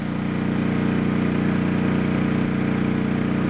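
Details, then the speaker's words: Honda EU2000i inverter generator outputting 1200 W: the inverter speeds the engine up and it gets noticeably louder, yet stays steady and even with no hunting or misses, still easy to talk over at 6 and 10 feet; normal running under load. "now we'll take the generator we'll see what it can do when it's outputting 1200 watts now you could hear the inverter telling the generator to speed it up and the noise level actually went up quite a bit"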